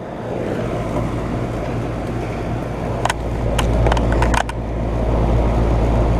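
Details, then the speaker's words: 2012 Bryant Legacy air conditioner condenser, first startup of 2022 cooling season: even low electrical hum, whooshing fan and a few light ticks; starts and runs smoothly. "Alright, well, there we go. First time running in 2022. Yep, it's running."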